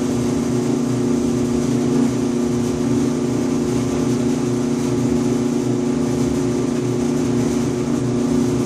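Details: 5-year-old Electrolux EIED55H dryer: loud steady low buzz with vibration over drum rumble every 45–60 seconds; fixed by replacing failed blower assembly 134690800 (motor bracket also replaced though it looked fine).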